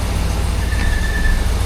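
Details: Vehicle towed in with no-crank, no-start after a new starter, in drive with wheels off the ground: thin high squeak rises briefly over a low drivetrain rumble and fades; intermittent driveline squeak.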